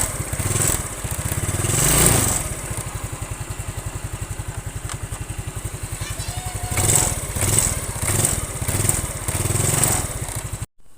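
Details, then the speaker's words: Yamaha Mio scooter before carburetor repair: hesitates on first throttle, excess fuel use, lacks power. Putt-putt idle near four beats a second; throttle blips rise unevenly and stumble before picking up; carburetor problem, worn slide suspected. "Jadi kendalanya itu berbed ya saat gas pertama. Jadi bensinnya juga boros dan nggak bertenaga ya."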